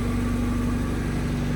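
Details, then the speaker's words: Honda Civic EG hatch, first start in years after an engine swap, no exhaust: raw open-pipe idle with even, steady firing pulses and no misses, knocks or ticks. Normal idle; O2 sensor check-engine light on. "Damn. I haven't heard this engine turn on in years."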